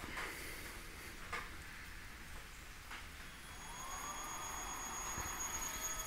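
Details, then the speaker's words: Three-phase squirrel-cage fan motor on a TECO-Westinghouse L510 VFD (110 V single-phase in, 220 V three-phase out), dial just above zero. Quiet rustle, then a faint steady high whine as the motor begins turning slowly. Normal slow start. "we get some turning going on kind of hard to see there you go see it's turning and you can adjust it"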